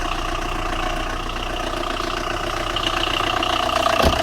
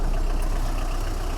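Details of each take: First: Tata Indigo 2011–12 diesel with morning starting problem, idling: steady fairly rapid engine knock about three to four beats a second; radiator fan not running. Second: 2011 Tata Indigo diesel that had a morning starting problem and engine knocking, now repaired; steady low idle rumble with no knock, and the engine sound is back to normal.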